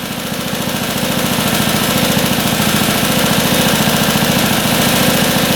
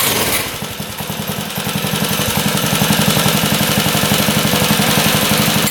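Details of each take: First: Long-unrun motorcycle bought sight unseen at auction, revived; carb idle screw set 1/2 turn out: steady popping idle about 3.5 beats a second, slowly firming up, no knocking; normal healthy idle. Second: Motorcycle that had not run in a long time, carb idle screw set 1/2 turn out, restarted on choke after being shut off: rough moment then catches into an even beat about four per second, no knocking; a little cold-blooded, hard starting when cold.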